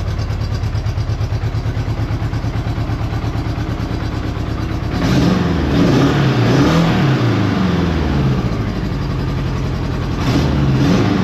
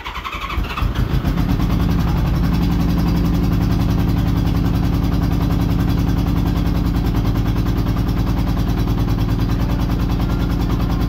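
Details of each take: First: Honda Goldwing GL1200 flat-four after cylinder gasket leak repair and spark confirmed on all coils; even steady idle then clean revs rising and falling smoothly, running a lot better on all four cylinders. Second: Honda Goldwing GL1200 flat-four after cylinder gasket oil leak repair and reassembly: starts after a long crank, then runs lumpy and uneven with a stumbling beat; misfire, two cylinders dead from a disconnected plug lead.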